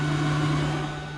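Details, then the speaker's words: Mercruiser boat spring prep, key on with engine off: engine bay blower runs with a steady low hum of constant tone, fading slightly; blower working good. "We can go ahead and check our blower, make sure that that's working. Yep, working good, and you can"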